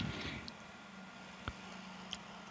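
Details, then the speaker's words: First-generation Wacom Companion tablet held near microphone before fan replacement: close quiet whir with thin steady whistle, low hum and a few sharp ticks; fan is failing, must spin fast when warm and the tablet sometimes freezes. "that's the sound a fan makes right now and once it starts to get a little bit warm inside wants to see pew it's getting hot of course a fan has to turn fast and then it will start to sometimes even freeze or turn black altogether"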